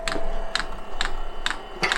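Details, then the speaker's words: 5 kW all-in-one 12 V diesel heater on pump diesel, first start with unprimed fuel line: sharp dry ticks about every half second over faint fan hum as the dosing pump pulls fuel up the line; normal priming. "right that's the pump just started kicking away to take some fuel up all right quickly so you might be able to see here fuel is starting to be drawn up i haven't actually pre-primed this"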